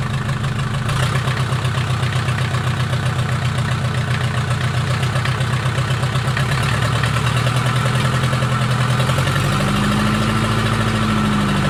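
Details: Mercedes 240D OM616 diesel, reassembled after sitting about a year and a half, 124k miles, restarted after glow-plug cold start: even steady clatter, smooth rhythm, no knocking or banging, slight smoke from old fuel; normal diesel idle.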